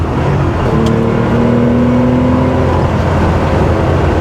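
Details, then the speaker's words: 1979 Porsche 911 SC Targa on its first test drive after a complete engine and transmission overhaul (new synchros, gearbox being broken in): loud, smooth pull with a steadily rising exhaust note toward the redline, no misses or knocks. "Hope you can hear the exhaust. I mean, it just sounds beautiful. Take it right up the red line."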